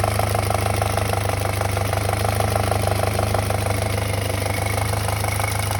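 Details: 2007 VW MK5 GTI 2.0T FSI BPY engine idling, mic close: fast even metallic rattle about two per second over steady idle hum; owner suspects cam-to-cam timing chain, plans chain and tensioner replacement.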